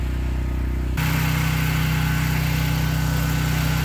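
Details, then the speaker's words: Briggs and Stratton generator with the sides of its OSB and rock wool quiet box dropped, heard from a distance: steady even hum at constant speed growing noticeably louder, no misses or knocks, showing the enclosure is worth it. "okay as you can tell that's a lot louder so I think I think it's worth the money worth the time to do it"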